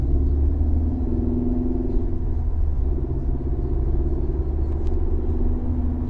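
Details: Mercedes C250 W204 four-cylinder at idle: deep steady droning rumble with a pulse every revolution heard through the cabin, first suspected as a noisy high-pressure fuel pump; worn engine mounts transmitting vibration.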